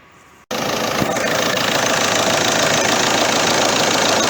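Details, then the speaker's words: Peugeot 307 1.6 HDi diesel idling with the heater on after the alternator head pulley is replaced: an even idle with the usual light clatter and no squeal or rattle from the front; normal, the previous noise is gone. "Gördüğünüz üzere çatır çutur sesimiz yok"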